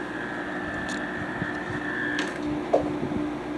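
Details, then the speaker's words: Hampton Bay 5050 BTU window air conditioner on low cool, with coils possibly uncleaned since 2004: steady soft fan and compressor hum with light intermittent plastic rattling ticks; runs quietly and normally. "so you can hear here it's very quiet when I'm holding this look at that here the compressor here but you can hear the plastic rattling"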